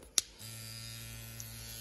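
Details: Tattoo pen on a Trillium battery set to 8 volts, same frequency as the power supply: after a click, a smooth, steady low buzz at an even pitch; running normally.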